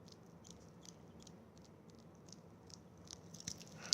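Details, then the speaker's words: Brand-new Rolex Oyster bracelet: faint, high, irregular chirps as the links flex and squeak against each other; the suggested fix is liquid hand soap on the bracelet. "hello everyone it's this is a video to show you how this is a brand new Rolex and it squeaking bracelet"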